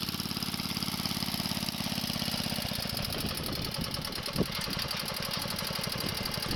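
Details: Wheel Horse 704 garden tractor Kohler single-cylinder, warmed up after recoil starter realignment, moving off to drive the yard: steady putter, even rhythm, no knocks or misses; runs healthy.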